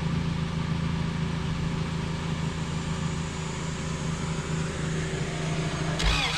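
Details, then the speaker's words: Honda CRX, B18 engine, sat about two years, cranking on starting fluid: low churning crank then a sudden sharp pop as the starting fluid backfires out the intake; it almost started. "that was a backfire from the starting fluid just coming back out the intake"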